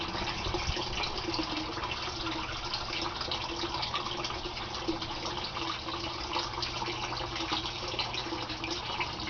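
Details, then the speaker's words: Aquaponics gravel grow bed, bell siphon with 1-inch PVC drain, early in emptying: a steady, gentle trickle with no surging or gulping before the siphon forms after about 30 seconds. Normal. "Now the grow bed is going to empty out. It starts with a trickle, and then after about 30 seconds a siphon forms, and the water will come gushing out of that 1-inch PVC pipe you see there."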